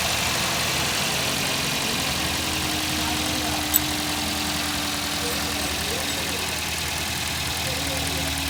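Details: Toyota GLi after tappet (valve clearance) adjustment for a bad engine sound: steady, even idle with a smooth unchanging hum and no knocking or ticking; engine sounds settled and healthy.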